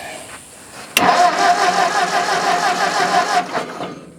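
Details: Old Ford tractor, possibly an 8N, with ignition points being adjusted: starter turns the engine in an even chug for over two seconds with no firing; points suspected not opening and closing properly.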